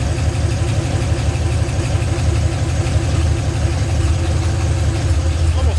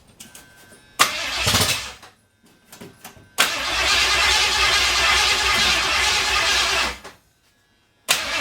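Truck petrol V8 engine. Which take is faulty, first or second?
second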